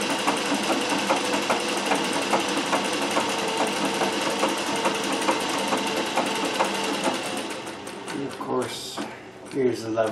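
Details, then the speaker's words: Singer 411G sewing machine on a treadle with a custom heavy balance wheel, original clutch removed. Slow stitching demo with soft, regular ticks at about two per second and no knocking or grinding; normal healthy machine. "so I thought I would demonstrate the balance wheel on the treadle by 411 G so I've put the stitch on the ball stitch"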